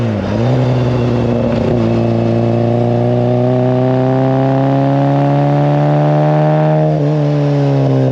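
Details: Classic Mini, 1330cc A-series engine, carbs balanced, timing about 12–15° BTDC: crisp blip, strong steady climb in revs and clean drop back, even firing, no hesitation; healthy, well-tuned.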